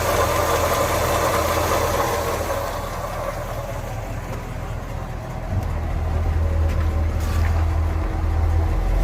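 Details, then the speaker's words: 1948 Ford F5 bus, abandoned 25+ years, on a new custom exhaust with chrome tip: quiet, deep exhaust burble at idle swelling briefly with a light rev, no knock or rattle; the engine runs smooth. "Hey guys, it sounds good. It's so quiet though. I'm almost a little disappointed, but no, it sounds great."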